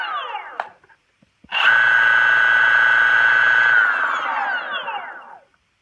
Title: Motor bearing failure